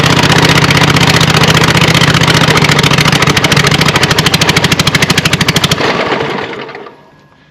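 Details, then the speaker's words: Scag Cheetah 61-inch mower with a swapped-in Craftsman 24 hp Briggs & Stratton twin, no muffler, engine loosely mounted: loud rough chugging on full choke, stumbling and dying once choke removed; carburetor or other issue suspected, unconfirmed. "I'd say it's got some kind of carburetor or some other issue because as soon as I take the choke off it was wanting to die"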